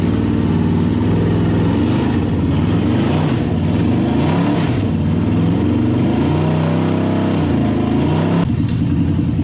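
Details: Toyota/Lexus UZ V8 on the Spitronics ECU, first start in this setup, cold with no radiator and the map barely adjusted. Revs rise and fall unevenly with a lumpy, choppy beat, misfiring and not on all cylinders; the owner is unsure whether the coils are good.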